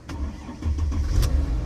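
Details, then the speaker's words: 2003 Mercedes E320 with battery drain problems, alternator checked good: brief starter churn, engine catches at once and settles into steady low rumble; main battery suspected, normal engine crank and start. "Cranks right up so but the system still probably going to pop on"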